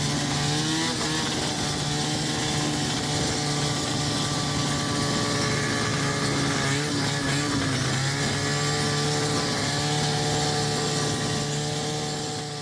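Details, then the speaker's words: 1980 John Deere Liquifire long-track snowmobile with Rotax 670 two-stroke and 151-inch track on the trail: flat low drone under load not climbing, RPM too low in the first half of clutch travel; clutch clickers need raising. "Alright, in between riding, we gotta try and crank them clickers up because we're not pulling the RPMs in the first half of the clutch travel that"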